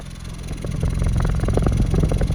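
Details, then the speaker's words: Toyota Corolla that had the check engine light on, lack of power and small cut-outs, heard at the exhaust after repair: low, even idle with no puffing or stumble; all four cylinders now firing properly. "que não tá mais fazendo trabalhando bem trabalhando certinho certo indicando confirmando que está funcionando os quatro cilindros"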